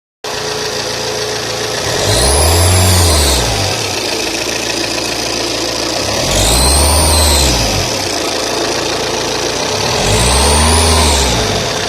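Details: Saab 9-3 TTiD diesel: three throttle blips, each bringing a high whistle that climbs and falls with revs over the diesel rumble. Noise on acceleration; source unconfirmed.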